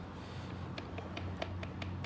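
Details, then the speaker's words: 2010 Dodge Charger 3.5 L V6 at idle, one side's rocker arms off: light even ticking about five per second, valvetrain rattle from the rear cylinder set, only at idle and not when revving. "that noise and it only does it at idle you don't rev up real loud when you speed up it just kind of rattles like that"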